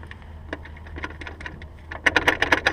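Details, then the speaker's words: Honda S2000 propeller shaft rocked fore and aft by hand; quiet ticks, then a string of dull clunks showing excessive front-to-back play in the worn shaft, which is being replaced. "and forth it just this shaft is where I'll just cut a lot of play in it sounds like front and back"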